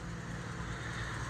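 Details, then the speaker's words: 1959 Chevy Biscayne, 235 six-cylinder, manual, on temporary fuel jug, running smoothly after start: steady even low rumble with no knocks or misses; normal idle. "How's that? It's a nice, smooth little 6-cylinder. Good old 235."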